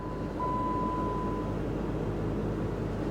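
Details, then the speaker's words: Dodge with a totally dead battery, started off a jump pack: quiet, steady, even idle hum with no misses, knocks or hunting, sounding real good. "all right there you go she sounds real good"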